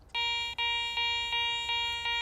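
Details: Garrett ACE 400 metal detector (10 kHz) in jewelry mode with iron notched out: clean high-pitched beeps, about six in two seconds, as the coil sweeps a bottle cap; normal target response.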